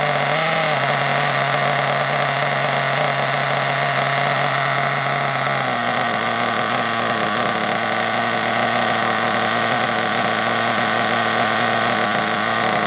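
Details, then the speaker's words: Hobao Hyper ST nitro truggy with a glow plug fitted, running just after first start: a high buzzing note runs steady, then the pitch sags and turns ragged. Owner suspects the fuel tank is causing intermittent lean running and plans to fit a new tank. "I think there's a bit of an issue with the tank I think I'll definitely put that new tank on because what I've noticed is it'll run absolutely fine for a bit and then it'll start"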